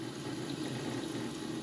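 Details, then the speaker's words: Camper water pump during mid-season plumbing check, tap running: steady, even pump hum with water rushing, no surging or chatter; sounds the same as it always does, healthy. "Now, if you listen, you can hear the pump. That's the way our pump always sounds. And that's what you want to make sure your pump sounds the same as it always does."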